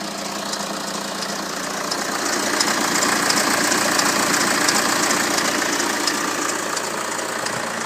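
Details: BMW N47 177 BHP diesel at 127,000 km idling with a light, fast metallic rattle over the clatter; owner reports worn timing chain, replacement of chain components pending.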